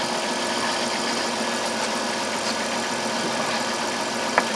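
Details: 2002 Chrysler Town and Country 3.3L V6 after fixing a P0305 cylinder 5 misfire by replacing the coil: smooth, even idle with no stumble or dropped pulses, all six cylinders firing cleanly.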